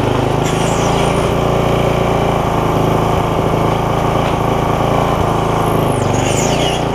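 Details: Barn-find tiller bought 17 years ago and never used, first run after freeing linkage, oil full: small single-cylinder running fast and fairly even, idling with an occasional faint stumble.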